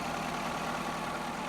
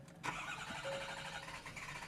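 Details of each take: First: Ford F-350 6.7 diesel with about 160K miles, new batteries fitted, idling: smooth, even, steady low rumble with no ticking or knocking. Normal, healthy diesel idle. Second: Ford F350 6.7 diesel after battery install, BCM reset and code erase: several cranks catch briefly then die, engine sucks air and stalls; owner suspects blocked exhaust. Engine starts then stalls.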